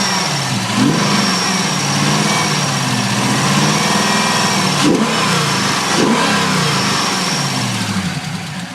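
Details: LS1 with PRC 2.5 LS6 heads and 228R cam, after swap: warm V8 revving with a light rapid tick from driver side rear, only once at temperature, louder underneath; owner suspects lifter or exhaust leak, not confirmed.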